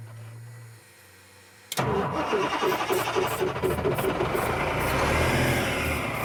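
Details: Old Ford truck used as a mobile home mover: steady starter whirring with even cranking beats, turns over with a little white smoke but never catches; ground wiring uncertain.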